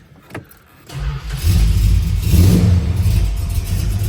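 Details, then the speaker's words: 1968 Dodge Charger, original matching-numbers 383 V8 (H code), 727 automatic, stock, 67,000 miles: cranks, catches and builds into a deep, strong V8 rumble with a clean rev and steady idle; normal start and rev. "Just a stock car. Sounds good."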